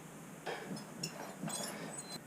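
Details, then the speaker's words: 2018 Suzuki King Quad 400 before front brake pad service: thin high squeals come and go in short bursts as the wheel turns; squeaking front disc brake, cause suspected, not confirmed. "so I'll show you right now I was having a squeak noise you'll see it"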